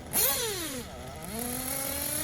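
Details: Tekno buggy with Blok 21BM nitro engine, warmed up, tuning top-end needle: short blips to high revs climbing a bit sluggishly, slightly soft at the top; top-end still rich, leaned in steps.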